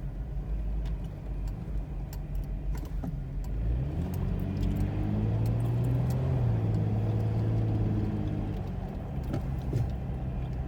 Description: Vg33E rough idle caused by knock sensor code